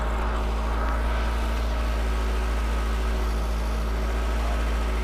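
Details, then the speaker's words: 1985 Volkswagen Cabriolet that sat 10 years, after opening a valve to bring fuel pressure down from 80-90, with old bad gas still in tank: steady low unbroken rumble, clean normal idle. "Let's let it run for a few minutes. All right. All right, so we know it starts."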